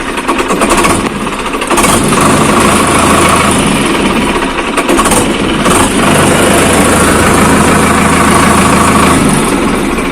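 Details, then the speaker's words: Sonalika tractor diesel that kept failing to start, now started after a fix: steady diesel clatter at idle with an even beat, no misses or stumbles; running normally. "तो अभी आप लोग देख सकते हैं यह tractor ऐसे करने पर स्टार्ट हो गया"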